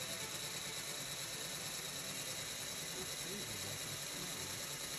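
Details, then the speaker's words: Aircraft engine exhaust valve lapped in place to fix low compression and leakage past the valve. Irregular gritty scraping strokes start rough, then quickly smooth out as the valve seats. Valve lapping, gritty sound smoothing out. "You can hear how it starts out sounding pretty gritty and then quickly smooths out in sound and feel."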